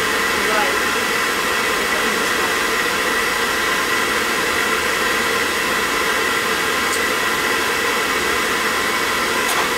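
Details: Riello oil burner on a triple-pass boiler unserviced for five years, which was cycling on and off, after service with a small nozzle: steady, even roar with no pulsing or cutting out; the burner stays lit.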